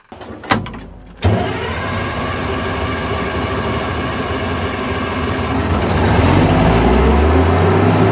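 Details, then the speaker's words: Diesel loader "Fat Alice" stuck in woods, ran out of fuel (air bubbling in see-through filter, bleeder opened) and refuelled: catches after cranking, settles into even steady clatter picking up slightly, no misfire; normal running. "all right look at that when it's got diesel fuel it actually runs"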